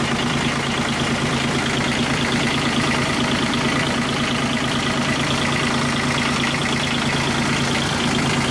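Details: Kubota G1800 tractor diesel after the engine was reinstalled and the radiator repaired, following two hours of mowing: steady, even idle with a firm low throb and no knocks or misses. It runs as it should.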